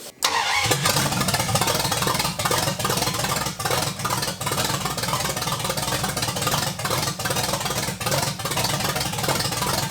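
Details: 1980 Dodge short bed truck with a big block V8, first run in 14 years after the engine swap: brief crank, then it catches at once and settles into a steady, even rumble with light revving and no knocks or misses; normal start and run.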